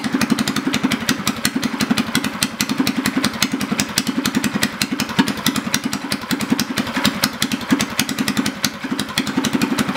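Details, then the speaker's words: Predator 212cc go-kart engine with governor removed, just fitted with heavier Honda 18 lb valve springs, running on jack stands: crisp, even exhaust pops at a fast steady rate with no misses or clatter; runs well. "fire it up good sounds good runs good"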